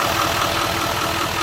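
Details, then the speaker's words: 2019 L5P Duramax diesel V8 under 60,000 miles idling with an uneven, lumpy beat and heavy shaking; codes show cylinder 4 injection timing and misfire; no connection to injector 4 through a bad pigtail, later replaced. "Shaking a lot. I'll jump out and look at the engine real quick."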